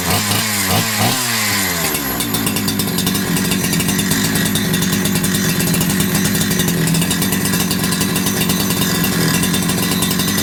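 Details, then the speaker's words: Holzfforma G372XP chainsaw (Husqvarna clone) after new carburettor and low/high jet adjustment: a few pulls, then catches and holds a steady, even high-pitched run; old carb was faulty, fuel pickup tube too short, so tank must be full. "run our carburetor was definitely a problem 100% a problem like I said I've been fighting with it up until this point for sure"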